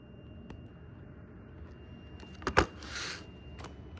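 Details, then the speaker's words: Hyperion with newly fixed lights, powered on: faint steady high-pitched electrical whine/hum from inside, pitch rising when one and then both wires are disconnected, cause unknown; brief handling clicks. "I don't know if you can hear but there's like a it's like a noise coming in from inside here"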